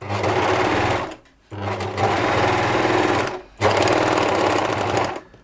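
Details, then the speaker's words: Nearly new, little-used ex-demonstration Bernette 610D serger, threaded, before cleaning and lubrication; the customer complains it is noisy. Three fast bursts of steady whirring with pauses between; it sounds rattly and noisy, and at this speed the rattle is hard to pick out. "It does sound quite noisy, doesn't it? Sort of rattly somehow."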